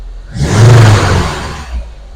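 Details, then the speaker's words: Lada Granta being flashed with new firmware (stock ROM saved), free revs: sharp rise and smooth fall with crisp pickup; slight misfire noted on cylinder two, then cylinder four. "Екінші цилиндрде кішкене бар екен. Тағы да бас. Екінші цилиндрде кішкене пропуск бар."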